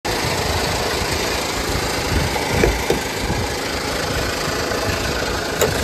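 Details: 2015 Honda Pilot 3.5L i-VTEC. A steady idle with an irregular knocking rattle from the front of the engine, consistent with a failing harmonic balancer.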